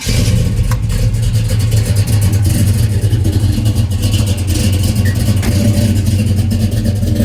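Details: 1968 Chevrolet Chevelle, 454 crate big-block V8, 700R4 automatic, 364 miles since gauges installed: fires and settles into a deep, loud, even rumble with a few throttle blips; runs strong and healthy.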